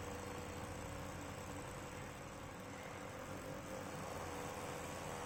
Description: GPU fan of this acer nitro 7 is making metal rubbing sound and it is not running smooth like CPU fan.